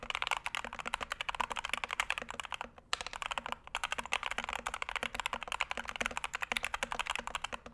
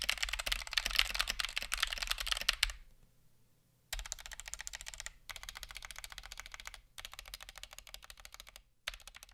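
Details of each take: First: Punkston TH61 keyboard (steel plate, stiff typing) typed on: quick, even, crisp, fairly deep clacks in a quiet room with no rattle; a sound, well-tuned keyboard. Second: Stock, unmodified Punkston TH61 keyboard with optical switches: quick bursts of sharp, almost clicky strikes with loose rattle per press, from switches wobbling in the plate; switch or plate fault unknown.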